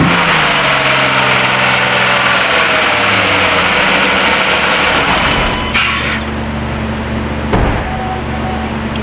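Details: 2012 Jeep Grand Cherokee 3.6 that had cranked but would not start: after a substitute 30 A 5-pin relay is fitted, the engine catches and drops from higher revs to a steady, even idle. Suspected cause is the original relay hanging upside down and filling with water.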